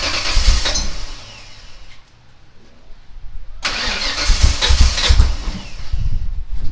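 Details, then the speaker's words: Ford Ranger rock crawler with a new scrap-built exhaust and Magnaflow muffler: catches after a short crank, settles, then deep throaty throttle blips; fires right up and revs cleanly. "very happy it's uh fires right up runs good sounds good"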